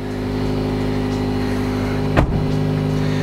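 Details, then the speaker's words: 2007 Nissan Sentra after fuel pump replacement, just started: steady, even idle with faint fuel pump whine, one brief handling clunk; no check engine light, running smooth. "No check engine light. No. And it is running smooth as the day it rolled out of the factory."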